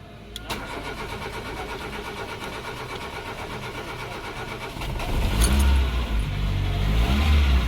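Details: Car with CNG (gas) kit after fixing a missing ground on the gas control box: a click, then a steady even idle that revs lightly; engine starts and runs normally.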